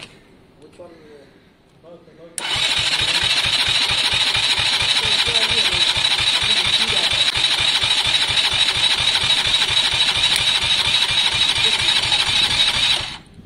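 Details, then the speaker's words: KSR motorcycle engine, compression test at wide open throttle: starter spins fast and evenly with a whiny drone and only faint compression beats; reading just 65 PSI against an expected 130–150, badly damaged piston, engine needs a rebuild. "I think 65 PSI in the uh in the engine tells you everything you need that engine was never going to start the Piston's been done badly"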